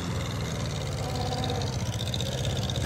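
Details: 1950 Farmall Cub after freeing stuck valves and clearing ants from distributor cap: small engine at steady idle with an even low putter, slight rise near the end; running fine.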